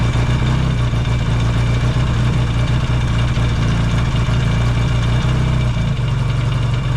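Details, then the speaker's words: Yamaha XS650 twin, started cold in an unheated shop: deep, steady idle with an even beat, no misses or knocks while warming up; healthy. "all the exhaust is coming on here now yeah we that warm up check all the lights while we're doing that"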